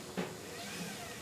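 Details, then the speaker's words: Beko WMA520W washing machine after replacing drum bearings and oil seal: drum spun hard by hand whirs down smoothly, bearings silent, only faint motor whine; belt refitted correctly. "if that belt wasn't fitted correctly it'd be popping off now and you can hear the bearings a silent and all you can hear there is a bit of motor whine"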